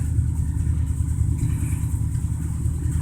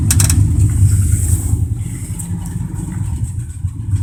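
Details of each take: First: 1987 Dodge Ram D150, 318 V8 originally from a 1971 Dodge motor home, replacing the original 3.7 L V6: a low, even burble at idle with no ticks or knocks; runs great. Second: 1987 Dodge Ram D150, 318 V8 originally from a 1971 Dodge motor home, manual choke: a deep, uneven V8 rumble just after a choked start, the beat wandering; a cold-blooded engine still warming up.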